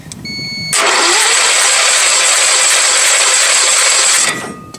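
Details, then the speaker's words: Sears lawn tractor engine with points ignition and a coil wired directly to a battery: a steady high whirring spin of about three and a half seconds with no firing and little compression beat. No spark, crank no start, dirty points suspected. "Literally everything I'm trying is not working. It's not getting spark and it won't crank on its own."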